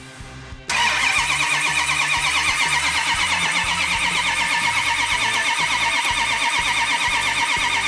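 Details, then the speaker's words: Rebuilt second-generation Hemi V8 not run in decades, oil pressure pre-built and fuel supplied before firing: starter spins engine evenly, about three strokes a second, no firing yet over music; normal cranking. "so when we do fire it off we've got good oil pressure we have fuel and it should be an easy start"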